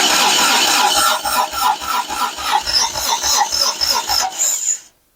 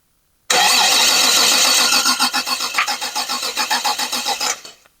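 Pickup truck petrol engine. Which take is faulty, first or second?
first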